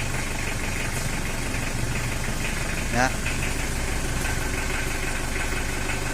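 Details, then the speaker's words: Mitsubishi L300 diesel with heavy smoke and weak power, idling before tuning: uneven idle with hard knock about two or three a second, rough and clattery; valve or injection setting suspected, not confirmed. "tapi suaranya ndak boleh kayak batu jatuh tuh itu tetap ada namun bunyinya ngeretek rata ya guys"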